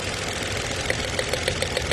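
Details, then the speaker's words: Mitsubishi Mirage with check engine light, scan shows misfire on cylinder 3: uneven idle with a sharp tick every fraction of a second, one cylinder dropping out; ignition coil spark found strong and continuous, spark plug suspected, not confirmed. "Misfire ng cylinder number 3. Ayan, siyempre, hindi palit ng kung ano-ano."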